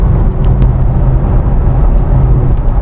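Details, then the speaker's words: Ford Mustang (S197) cruising on the highway in 6th gear at 70–80 mph, test drive after an underbody fix for a rattle at 60–80+ mph: only steady road, wind and engine drone, no rattle or metal-on-metal buzz. "No noise. 6th gear. 70 miles an hour. I don't hear anything. Guys, I think I'm at 80. I don't hear any rattling at all."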